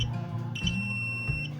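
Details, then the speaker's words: Continuity test with a meter on an SQOE SEST250 HSS Genesis Series guitar during refret and setup: pickup selector on the rear humbucker, so the two front pickups stay silent. A clean steady high beep over faint string ring shows the wiring is connected right through to the input jack, normal. "Nah yang ini yang bunyi harusnya kondisinya normal, bahkan sampai ke input jacknya juga terhubung"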